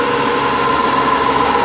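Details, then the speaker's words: BMW 335i twin-turbo engine, cold, rpm raised by propping the gas pedal: whoosh plus a constant droning groan around one kilohertz that grows with revs; likely a noisy belt tensioner bearing. "so right away you can kind of hear the whoosh since it's yeah as it revs up you can hear it more and there's the groaning"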